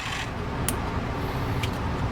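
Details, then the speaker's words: Small DC gear motor driving a 3D-printed PETG-HF motorized display turntable, variable speed, powered from a supply, before the intermediate gear is fitted: steady rough whirr with a gritty rasp and light ticks, noisy but turning. "It's noisy, but it turns."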